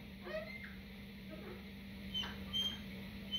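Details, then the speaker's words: BMW R1200RT side stand, before lubrication with a heavy-duty metal protector lubricant: short, high-pitched chirps as the stand swings. The dry side stand pivot squeaks; lubricating it made it quieter. "not a good noise so we're gonna give it a little shot this stuff dries and sticks it's good"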